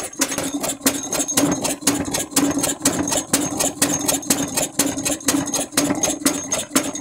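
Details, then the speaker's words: Large-scale Edgar T. Westbury Wyvern open-crank stationary model engine, autojumble find, running clamped to a workbench: sharp metallic clatter about twice a second in step with each beat as loosened clamps let the engine rattle on the table. "the noise is the engine rattling about on the table as the clamps have rattled loose but you get the general idea"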